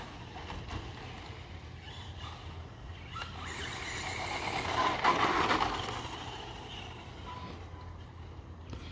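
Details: ECX Torment RC truck test run after metal transmission gears were installed: electric motor whine rises and falls as the truck speeds up and passes, no grinding or clicking from the gears; healthy.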